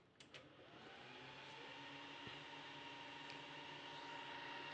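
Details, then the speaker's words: ASUS M5A99X EVO desktop that froze and won't boot: soft click, fans whir up to a steady hum, CPU LED lights, but no beeps follow, also without RAM; powers on yet never posts. "instant this light comes on and it says CPU LED now what that indicates is I guess I think which usually is what it indicates is that uh there's something wrong with the CPU of course um but yeah but there's no beep code"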